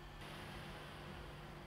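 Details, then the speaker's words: MacBook Pro fan at default speed (speed adjustable with MC fan control, raised for Final Cut Pro editing or gaming): soft, even airflow hiss with no rattle, ticking or whine; normal quiet fan. "if I'm editing like using the Final Cut Pro or playing games on this I need to increase the fan speed for example like that fast but default speed"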